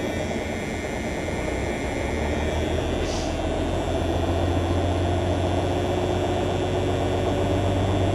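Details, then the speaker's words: Peterbilt 352 cabover wrecker on a very cold morning start: low, heavy diesel idle that is lumpy at first, struggling to fire all cylinders, then slowly smooths out. About 60 psi oil pressure, charging about 10 amps, no air pressure showing. "man it's having a hard time getting all the cylinders going but it is coming up can you hear it smoothing out"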